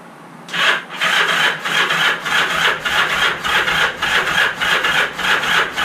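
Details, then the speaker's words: Motorcycle not run in 35 years, on the electric starter with ignition in run: slow, even rasping whirr pulsing about 100 times a minute as the engine turns over without firing; engine cranking. "Oh, okay. The ignition just has to be in run for it to turn over."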